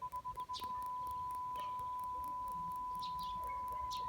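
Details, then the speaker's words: BMW E90 PDC ultrasonic parking sensor, phone mic held to the bumper sensor: faint, quick ticking about three times a second against a quiet background; a properly working sensor. "Do you hear that? So yeah, that's the basic sound for a proper working ultrasonic sensor."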